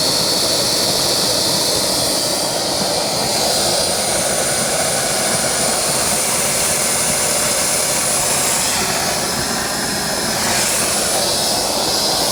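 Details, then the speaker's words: KJ-66 model jet turbine on a homemade test bench after service (fuel lines broken and ignition faults fixed): steady, even high-pitched roar with a clean hiss and no surging or scratching; running smoothly. "das ist ups das hört sich schon mal sehr gut an"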